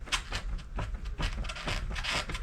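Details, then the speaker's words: ZiZZO folding bike rocked back and forth with the front brake squeezed: dull knocks, about two a second, from a loose headset needing adjustment; loose headset knocking. "you can hear that knocking and you can actually see how loose it is. So that tells you how loose the headset is, or if it's loose."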